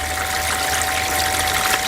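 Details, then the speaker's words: VW California T6.1 cold-water rear shower: with the pump clicked in and the rear switch on, the secondary pump hums steadily under rushing water, delivering flow normally. "So if you hear that pump running and you think, why is the pump still running? Obviously first thing, if you've not got the shower connected, is just double check that is actually off in the back section that's on there as well."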